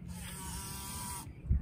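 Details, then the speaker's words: Volvo 240 with no-start after dying: paperclip jumped from always-live fuse 6 to fuse 4 gives a steady high electric whine for about a second; in-tank fuel pump runs normally. "now we want to touch it to the left side of fuse number four and see if the fuel pump comes on which it is"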